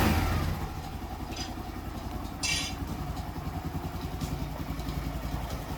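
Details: Daelim Citi Ace 100 (CA100) motorcycle after engine rebuild replacing the missing or damaged gasket that leaked oil, final start test: small single cylinder thumps steadily at idle with light blips, no knocks or ticks; runs clean.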